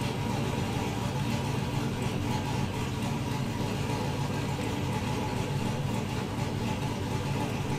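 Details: 2000 GMC Sierra 5.3 V8 idling after swapping in an intake and gaskets from a spare 5.3 to cure lean and misfire codes; loose front intake bolts were suspected. A steady, even idle with a smooth low rumble and no misses; it seems fixed.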